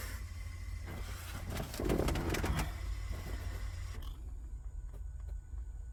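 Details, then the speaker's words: 1999 Chevy Express 3500 van with a no-start security code: starter cranks, engine catches briefly with a rising roar then dies within seconds as the computer cuts injection; fuel pressure gauge fitted; immobilizer fault causing start-then-stall. "por eso es que el carro prende pero al instante se apaga ya que la computadora como decir es corta el sistema de inyección entonces por eso prende como se debe pero se apaga inmediatamente"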